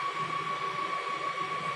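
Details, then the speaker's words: EMC Isilon NL400 36-bay SuperMicro 4U NAS chassis (X8DT6-A-F board, two X5670 CPUs) fans humming up at power-on with cover on: steady rushing airflow with a thin high whistle, no rattles or scraping; normal fan spin-up. "And then you can hear it humming up, and it's getting"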